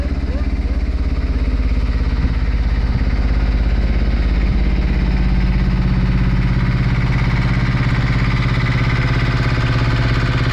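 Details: Brand-new Beta Marine 16 diesel, just installed in a sailboat to replace the failed old engine, runs in the harbor at a steady idle with even, regular firing and no knocks or misses; normal running.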